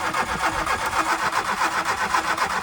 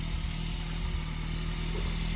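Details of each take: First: MK2 Golf 1.6 Driver project, first crank with new battery: starter turns engine steadily about four seconds but it never catches; no spark, failed ignition module. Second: MK2 VW Golf 1.6 Driver, first firing after long storage with new battery, new pump and ignition module: steady, low, even idle with light tappety tick, blamed on sitting a long time; otherwise running fine.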